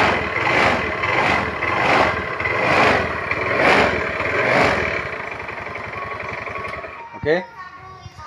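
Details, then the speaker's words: Honda automatic scooter with hard starting and stumbling, with the EOT sensor socket unplugged, starts on the first kick and idles with an even, quick putter and no misses; an ECU issue reading the sensor is suspected. "kita lepas soket sensor eot motor ini dihidupkan cukup gampang ya Sekali selah saja motor ini hidup"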